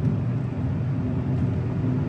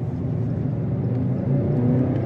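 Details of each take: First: And it's still got a chuggy, bad idle when you are in drive or reverse. If you've got it in park or neutral, no load, it idles pretty good, but you put it in drive and reverse and it starts chugging and slightly spark knocky. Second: 2005 Subaru Legacy GT, turbo, automatic, 180,000 miles, about 50 miles later, with a blown throttle-body coupler leak found (intercooler also leaking): engine climbs smoothly under throttle with no stumble, accelerating roughly normally in automatic.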